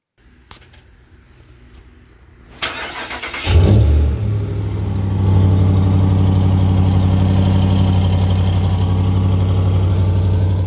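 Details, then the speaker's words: 2019 Ram 1500 Big Horn Hemi, 57,000 km, aftermarket exhaust, two broken manifold studs: cranks, catches, settles to steady idle with quick regular ticking about four a second; exhaust manifold leak, gasket, right manifold and Y-pipe nut replaced under warranty. "so the next video is going to show you here what it sounds like with the leak"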